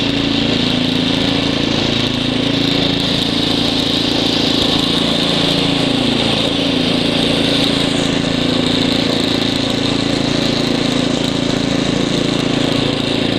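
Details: Ariens ST724 snow blower clearing snow, rebuilt carburetor, new fuel lines and impeller bearing; microphone apparently clipped in hood, likely exaggerating noise. Steady, even single-cylinder beat under load, no misses or surging; normal running under load.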